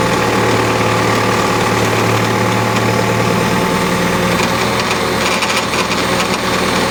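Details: Cat backhoe diesel idling: thin steady whine with coarse buzz from the hydraulic pump side; hydraulic pump abnormally noisy.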